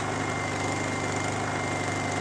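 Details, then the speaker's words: Generator just reassembled after repair and restarted: steady, unbroken hum with constant pitch and no misses or surging, described as quiet; normal idle. "he's still generators advice because that's it that's as loud as they run man you know and so you can stick them out here in the woods and and nobody can hear them"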